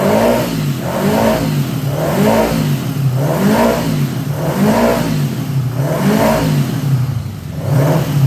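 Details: 1979 Honda GL1000 Goldwing, first start after a carburetor rebuild: engine surges up and down about once a second and runs rough, smoking heavily. Owner suspects bad seals burning oil and fouling the plugs, or carbon still burning off.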